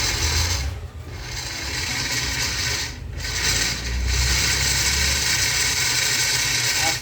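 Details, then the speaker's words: Philips Walita food processor running: harsh rasping grind under the motor, owner suspects lack of lubrication on the gears; they were found dry of grease, and cleaning and lubrication fixed it. "tá com uma zuadinha feia eu acho que é falta de lubrificação nas carretas dele"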